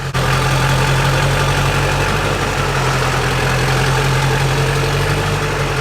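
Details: Junkyard LB7 Duramax diesel truck; steady, even idle with low smooth rumble, no knocks or misses; sounds healthy.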